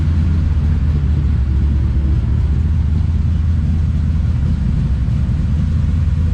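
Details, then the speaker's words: Mopar 318 Magnum truck with stock 1986 distributor, MSD6AL, Hughes cam and Edelbrock AirGap intake, idling: steady deep V8 rumble, fast and even with no misses. Idle is high because the base timing is set advanced. "it's island high because the base timing's high"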